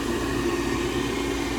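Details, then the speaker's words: Furnace inducer motor after lubricating its seized bearings, previously failed to spin causing no heat: even, smooth hum with steady low tone, no crunching or scraping; now sounds like new. "i put some oil on it it sounds like a new one so i'm really happy with that"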